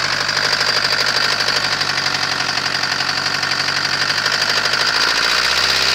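Sharp metallic knocking rides steadily over the diesel idle, about three a second; a clear knock, cause not yet pinned down.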